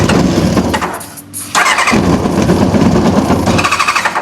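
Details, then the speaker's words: Newly bought track motorbike that won't start, running on easy-start spray with choke: ragged, uneven revving that surges and dips, won't hold idle; spark confirmed, not getting fuel on its own, carb issue suspected. "Well, it runs happy on easy start, so that means we're getting spark, which is good."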